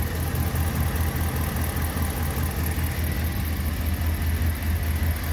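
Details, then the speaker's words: Ram 1500 5.7 Hemi, 51,500 miles, ticks on cold starts since about 20,000 miles; right after changing oil from 5W-20 to 5W-30: deep smooth steady idle rumble with no ticking, notably quiet. "wow that's really quiet I can't believe it that's impressive"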